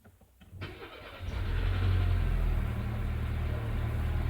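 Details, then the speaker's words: 1999 Mercedes A-Class A160 with hard-start complaint, mainly in mornings, many dash warning lamps on; afternoon start: brief crank, catches within a second, steady even idle; no hard start reproduced. "STS and uh runs I didn't detect any hard start"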